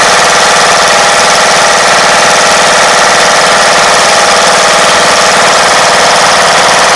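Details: 1994 MTD Vari Drive 5-speed yard tractor, 11.5 hp flathead Briggs & Stratton single, jump-started after revival: loud steady chatter at fast idle, even and unbroken throughout, engine running properly.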